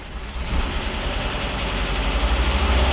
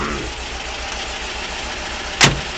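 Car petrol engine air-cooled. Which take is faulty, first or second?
first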